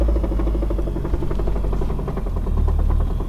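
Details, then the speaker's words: Car idling before the Radium in-line fuel pulse damper install: fast, even ticking over a deep idle rumble, injector pulses carried through the hard fuel line hitting the firewall and other lines. Harmless fuel pulsation, nothing mechanically wrong. "but that clicky is the actual that's the pulse of the injectors and all that vibration is making its way to the hard line which is around somewhere in this area and I know it's hitting the the firewall and the rest of the lines"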